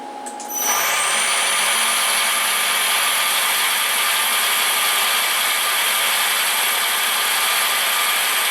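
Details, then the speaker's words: Milling machine with new belt drive and extended quill, tapered roller spindle bearings: loud hissy whir with high whines at 3000 rpm. "Let's try 1500 RPM. You can hear it's a lot louder. Let's try 3000 RPM."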